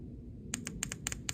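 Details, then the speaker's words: Chinese diesel parking heater fuel pump with error E-8 (no fuel/combustion) after a power outage, seized. Tapping power leads after dry lube gives crisp light clicks in quick pairs, about four pairs a second, as the freed pump cycles and spits fuel. Fuel pump clicking normally. "you can hear it cycling you can hear it shooting stuff out of my hand that's all we're looking for"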